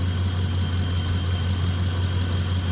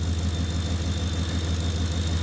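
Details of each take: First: Ford F-150, engine running well and warm at idle: thin high singing tone over the idle with constant pitch; alternator whine, possibly a bad diode, unconfirmed. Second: Ford F-150 at idle with heated seats, blower and high-beam headlights on, after field and communication wires were replaced: thin steady high whine, the alternator growing louder as it carries the electrical load.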